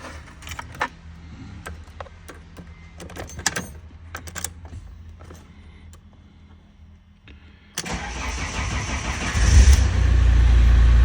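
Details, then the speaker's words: Fiat Doblo that would not start with the hazard lights flashing, now with a cloned immobilizer/control block. Key clicks, then the diesel cranks briefly and catches at once into a steady idle, a normal start. "машинка заводиться тепер беремо другий ключик"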